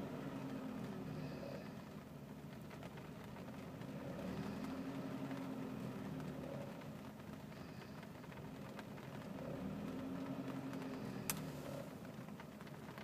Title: Saab 900 turbo rough idle.